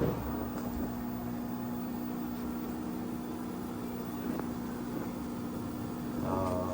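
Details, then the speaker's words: Panasonic washing machine after replacing the fan underneath to fix the H29 alarm, which used to trigger after 5 minutes; quiet, steady low motor hum through a speed wash with no alarm beeps or rattles. "Ah yan po siya. Hindi na po siya nag-a-alarm."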